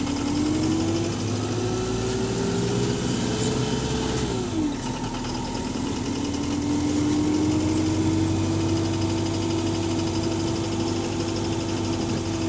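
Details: AL HV48 bus diesel engine on route 335: steady heavy knocking about three times a second over the running engine, holding through speed changes, described as loud rod knocking; deep bottom-end knock, cause unconfirmed.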